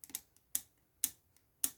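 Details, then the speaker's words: Clarinet upper joint after reassembly: sharp bright clicks each time the key is worked, from metal-to-metal contact because the tape silencer sits too low and misses the screw. "that's still too much click and I can look at it closely and I can tell that my tape is not far enough up it's not hitting that screw"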